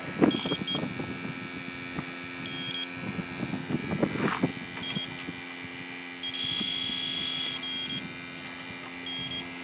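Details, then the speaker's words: Refurbished R12 AC compressor for an '88 Jeep XJ, sniffed outdoors in wind with an electronic leak detector: shrill short beeping bursts, then a longer steady squeal, flagging refrigerant at the fitting; the owner notes fresh freon can trigger false alarms, so the leak is unconfirmed. "Yeah, something's leaking here. This isn't good."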